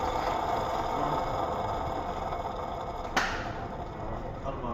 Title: AC Compressor Noise Diagnosis | Bearing, Clutch | #automobile #mechanic #shorts #viral #subscribe